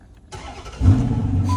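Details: 2011 Dodge Challenger with a crank-no-start complaint, after the fuel pump is heard priming: quick crank, engine catches and settles into a steady idle while a chime sounds; starts normally.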